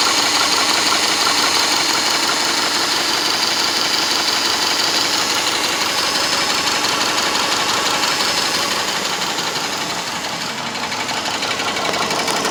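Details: Subaru Legacy 2.5 SOHC with a fast, even light sewing-machine-like ticking over a steady idle; cause of the tick not clear.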